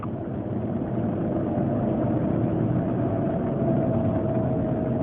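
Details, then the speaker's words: Land Rover Range Rover L322 cabin, cold at about minus 30: steady mid-pitched whine over low rumble, clearly a bearing noise but source not found; much worse in cold, barely audible above freezing. "it's a bearing noise for sure uh but I'm not quite sure where where it's coming from it's a lot worse in the cold"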